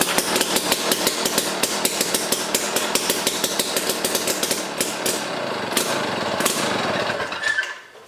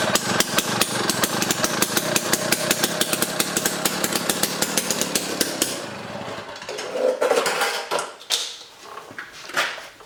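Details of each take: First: Jiffy Stealth STX 10-inch ice auger, 3 hp Tecumseh two-stroke, on old gas of unknown age, full choke: sharp uneven popping that weakens and dies away, very smoky; rough running, cause unconfirmed. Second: Jiffy Stealth STX 10-inch ice auger, 3 hp Tecumseh two-stroke, after cleaning and fresh 91 non-ethanol fuel, started on choke: loud crisp steady high-speed buzz, then winds down; running good.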